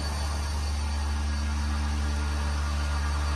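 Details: Vacuum pump, with water tank, on a 1600-liter mixer at start of vacuum test; steady low even hum with deep constant tone, no knocking or grinding, very low noise, good-quality pump running normally.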